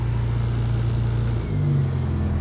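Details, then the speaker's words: 1975 Toyota Corolla KE35 hardtop with exhaust baffle fitted; deep, even exhaust note rises cleanly with throttle, no ticking or puffing, no leaks; engine running nicely and sounds healthy. "so yeah I mean all in all good happy there's no leaks there's nothing it sounds good I'm happy with this"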